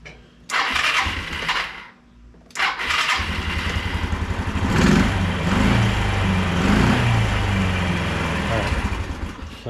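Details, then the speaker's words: 1993 Yamaha Riva 125 scooter after starter relay replacement, running fine for a week: two short starter bursts, then the single-cylinder engine fires on the third try and settles into a steady, even idle. "I got the new starter relay in um just to be clear I've been running this thing for about a week uh and I have not had any problems so I'll start her up here make sure she still runs"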